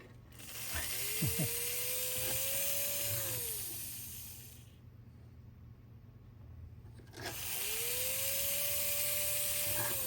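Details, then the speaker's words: 1954 Lionel 6250 Seaboard switcher after motor disassembly, cleaning and wire reattachment: motor spins up to a steady mid-pitched whir, holds, winds down, twice; runs smoothly though the E-unit is still sticking — normal motor run. "Okay. But we proved that the engine will run."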